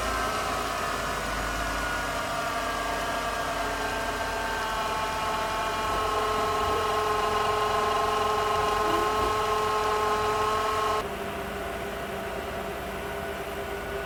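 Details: Mitsubishi Shogun/Pajero Pinin iO, unmoved for about three years (slipping clutch), started with a booster pack. A smooth, even note is held at raised revs, then settles lower, with no misfire. Normal running.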